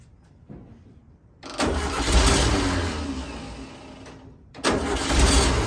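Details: 1964 VW Beetle air-cooled engine, first start after 10 days of work, with a temporary electric fuel pump and static timing: catches and settles into a steady, even idle with no knocks or misses; sounds healthy.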